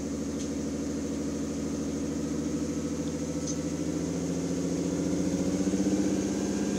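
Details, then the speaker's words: Mitsubishi 3G Eclipse 6G75 V6 at about 2000 rpm with check engine light and code P0304: uneven, stumbling cylinder 4 misfire despite new plugs, wires, cap and rotor; owner suspects a bad PCM circuit or pinched injector wire. "most prominent right there 2000 rpm and of course now the check engine light is on when you pull the check engine code it's a p0304 which is a cylinder for misfire"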